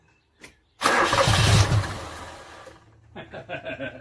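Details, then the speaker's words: 1986 Toyota Corolla KE70 petrol engine abandoned for years, start attempt: loud crank catches briefly, fades, then uneven coughs and stumbles without settling; possibly rotten old petrol, and dirt in the carburettor. "dirty petrol huh"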